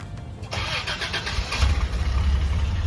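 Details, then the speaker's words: Toyota FJ62 Land Cruiser, automatic: cold start after fresh gas, a new battery and a mechanic's inspection. It cranks briefly, catches cleanly and settles into a steady, even, quiet idle with a firm low rumble. Healthy, and response is much better. "It sounds healthy and the response is much better! The engine is quiet and sounds good"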